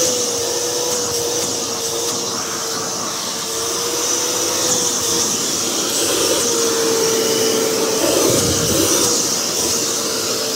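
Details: Older V H2O Turbo canister vacuum with 4-speed motor, run at top speed: loud steady motor rush with a high airy hiss and an even whine near 500 Hz, no knocks or surges; healthy.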